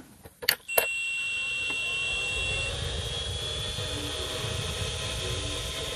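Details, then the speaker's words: Original Dreamcast console after 20-odd years: a couple of clicks at power-on, then a constant high whirring hiss from the small, dirty, always-loud cooling fan, before replacement with a quieter fan. "a very loud fan in there I mentioned before it's small it's dirty uh and it was always loud"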